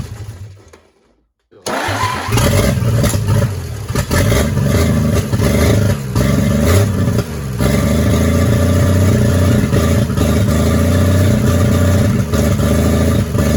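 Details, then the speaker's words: 1940s GMC 270 engine, first run in 20+ years, after adjusting ignition timing: fires and runs steadily with smooth even beat, no knocks or rattles, briefly before stalling; oil pressure confirmed; normal running. "well she ran there for a bit doesn't sound too bad no noises or anything"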